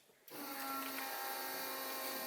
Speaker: I found that when I unplug my line lock relay, it doesn't do it. Now you don't hear the pumps priming.